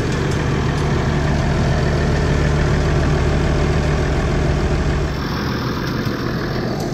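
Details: 1979 IH 1086 tractor diesel at low, even idle after replacing the transmission oil cooler lines, started to check for leaks: steady unhurried thrum, no knocks or misses; running smooth and healthy.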